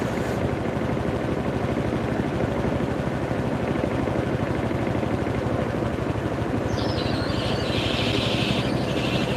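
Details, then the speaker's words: Whirlpool WTW5057LW0 HE top-load washer during spin speed-up in a stain test; rapid thumping about three beats a second, then a hissy rub joins in; abnormal noise, cause unknown. "the hell is that noise? What is that noise? The hell was that? Damn, I think my washer might be having a heart attack."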